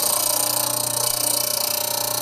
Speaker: you hear the ticking that is telling me I've got to face the stone that is not perfectly true